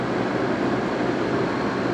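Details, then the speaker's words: 2002 GE AJCS10ACAM1 9,900 BTU 115 V window/sleeve air conditioner, 14 years old, in a garage with dirty coils: steady, even fan and compressor hum while cooling, switched to high, running normally. "Oh, it's getting cold, all right. Let's go to high. Oh, damn. That's real nice."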